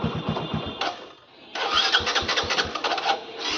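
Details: Motorcycle cranking in several short bursts of rhythmic chatter, a pause, then more, never catching; rider says bike won't start after petrol not filled for three days, possibly out of fuel; cause unconfirmed.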